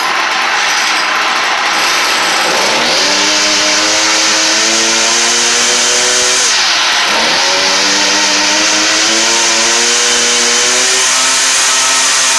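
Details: Stihl FS38 string trimmer two-stroke after a no-start fix, swapping in a HIPA aftermarket carburetor: first start on the new carb, choked, revving up, dropping back briefly and climbing again cleanly, pitch following the throttle; runs smoothly and healthily.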